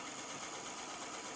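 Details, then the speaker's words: Electric Eel Wheel 5 spinning wheel, not fully broken in but sanded well, running with a steady light high-pitched whir and no clicks or knocks; normal noise expected to get quieter over time. "so once again this is the current this is sort of one that is not totally broken in but is sanded pretty well"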